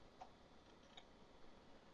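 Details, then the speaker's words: Canon NoteJet II 486C mid-90s laptop floppy drive reading Windows for Workgroups disk one: quiet, few soft irregular head-stepping ticks, nothing harsh; drive reading normally. "i need windows for work groups disc one and i just happen to have it right here that sounds like it's reading okay"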